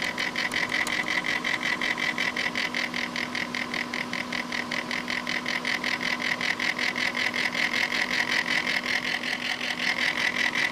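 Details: Corsair H80 liquid cooler pump failing two hours after install: gritty, rhythmic ticking about two and a half times a second over a faint steady hum, intermittent; pump grinding.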